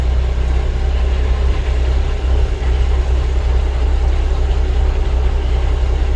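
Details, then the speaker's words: Peterbilt truck diesel idling on its tires after power steering hose replacement and bleeding: deep even idle with no whine or groan from the steering pump; power assist restored, normal idle. "no noise we got power assist"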